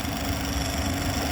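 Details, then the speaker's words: Vacuum pump on a CO2 refrigeration unit after replacing the filter-drier cartridge, final evacuation stage, valve closed: steady drone with unchanged pitch shows vacuum holding; normal vacuum pump running. "et normalement le bruit de la pompe à vide restera toujours le même qui reste toujours le même"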